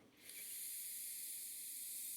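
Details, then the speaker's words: Vintage engine carburetor float valve bench test, blown through upside down with engine off: steady high airy hiss as air passes where the needle should seal, likely because the valve fell out when opened fully; once turned over it sealed. "so the way you check that is uh you blow in here with it upside down like this and it should be sealed you shouldn't hear any any airflow"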